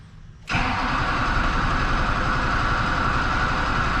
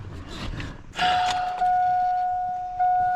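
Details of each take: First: Duramax diesel truck with AirDog lift pump, air in fuel system: extended cranking before it catches, then settles into a steady diesel clatter at idle as remaining air purges; no priming needed. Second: Duramax diesel just after a fuel filter change: AirDog lift pump priming fuel up to the filter before cranking; a few clicks, then a steady, clean electric whine holding its pitch; normal fuel lift pump priming.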